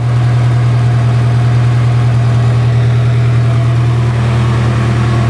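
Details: Nissan S14 Silvia first start after a long time, following a valve cover gasket fix and new power steering pump: deep, steady idle with a smooth, even beat, nothing rattling or ticking; runs great with no issues.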